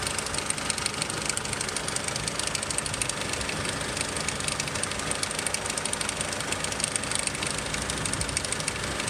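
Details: 2002 Nissan X-Trail idling after about 20 minutes of driving: light, fast, unevenly spaced rattle about three a second that only appears when warm; owner suspects timing chain, unconfirmed.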